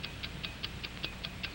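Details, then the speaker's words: Wind-up watch: crisp, evenly spaced ticks at five per second, no skips or uneven beats; an accurate, healthy running watch, normal ticking. "that's right the taking of a watch an accurate watch ticks five times each second like the engines of airplane and motor car like the generator like the human heart"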